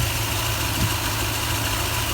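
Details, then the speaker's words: 2004 Toyota Tundra V8 after fan bearing failure and timing belt change, previously running rough and shaky: low, steady idle rumble with an even beat and no knock, squeal or rattle. Sounds better. Normal idle. "that sounds better right before it was totally"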